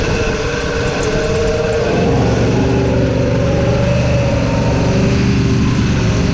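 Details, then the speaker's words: 1986 Chevy C10 that sat a couple of years, first run after revival: rough, uneven idle with a rapid scraping rasp as the fan blade hits the bottom of the shroud. A slight water pump wobble was noticed; owner doubts that is the cause. "oh yeah it's hitting the bottom I'm going to plug off a couple vacuum lines and get this fan to not be hitting the damn shroud anymore"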